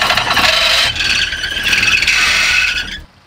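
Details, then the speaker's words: Volvo 244 GLT abandoned in a barn for 20 years: loud, high, wavering squeal for about three seconds, then stops; belt slipping over a seized water pump that no longer spins. "But it sounded like the water pump has some kind of belt related anyway. It was also the pump then."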